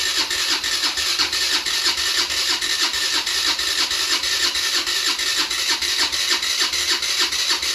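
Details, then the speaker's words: 50cc scooter being revived, with spark, fuel and oil: starter churns in quick regular pulses, about three a second, never catching, only occasional puffs; cranks without starting, fuel starvation, carb needs cleaning. "I'll start recording again if uh if it fires up it Puffs a little bit but uh I got to clean that carburetor"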